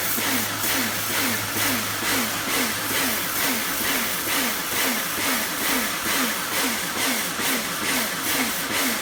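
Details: Kärcher pressure washer rebuilt from a B202 and a K2 14, retested after swapping the switch: motor hum pulses about twice a second, cutting in and out while spraying; pump cycling, owner suspects a valve, unconfirmed.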